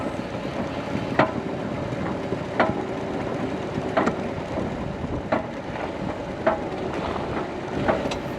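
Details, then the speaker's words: Broken front axle u-joint, driven slowly off a trail on flatter ground; sharp metallic clanks about every second and a half over crawling and wind. "so now that we're on a little flatter surface you can really hear that clanking sound"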